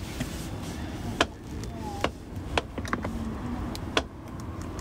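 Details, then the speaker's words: Tesla at 116,000 miles, 3 years old: sharp irregular clicks from a door window as it runs over a low hum; owner attributes this to wear from age. "think you can hear that clicking well that's obviously due to where of age"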